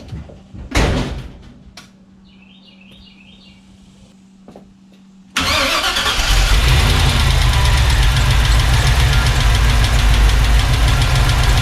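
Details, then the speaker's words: 1986 Chevy C10 with Gen 6 454 big-block V8 at idle, steady light tapping on top from rocker arms out of adjustment; checking both sides for the cylinder before installing COMP roller rockers. "so it was pretty clear and easy to hear the tapping noise so what you see me doing now is i'm going to be checking both sides to figure out exactly which cylinder it's coming from"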